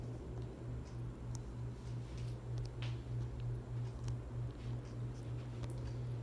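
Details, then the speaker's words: 42-inch Harbor Breeze Ocracoke ceiling fan, installed around 2005, on high speed: steady low hum with an even soft whoosh, no ticking, rubbing or wobble; moves decent air, running smoothly. "this is pushing out some decent air thing I really like about this fan does not wobble at all does not wobble it's really a pretty good fan"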